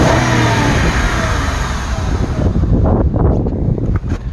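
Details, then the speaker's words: Mercedes-Benz at idle, engine not fully warm at 60 °C: loud, busy mechanical clatter, more than normal; owner suspects an internal bearing, balance shaft or timing chain issue, or belt drive friction; excessive engine noise. "it's not fully warmed up uh 60 degrees celsius so was a 120 fahrenheit so it's by no means warmed up but i think this engine's still making too much noise"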